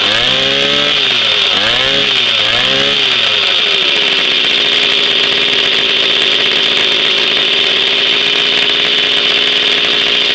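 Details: Jawa 50 type 05 moped, 1966 two-stroke engine, very first start after 20-year storage, rebuild and assembly, no cold break-in, original contact-breaker ignition and never-replaced coil; high buzzy note with a few blips, settling into steady fast run: normal running.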